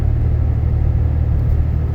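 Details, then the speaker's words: Inside cab of 2012 Dodge Ram 6.7L Cummins, fully deleted, 4-inch turboback straight pipe, EGR delete, H&S Mini Max stock tune, cresting hill on highway: low steady rumble, smooth engine and road noise, no booming drone. "There's just no noise in here. I mean, the wind hitting my little rain guard things in here is noisier than the exhaust, so it's not a concern."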